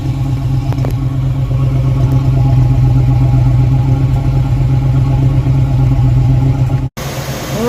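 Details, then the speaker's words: V8 idling with timing previously set by ear, not with a timing light, heard at the exhaust: deep steady burble with an occasional uneven beat, a long-standing slight miss from incorrectly set ignition timing. "ever since then i've always noticed it was a little bit of a miss and i've always attributed to other things and completely forgot that i never did the timing until now"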